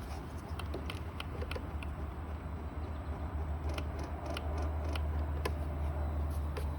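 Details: 2016 Kawasaki Ninja 300 ABS won't start: sharp, uneven clicks of about three per second with no cranking, the starter chattering from a dead battery.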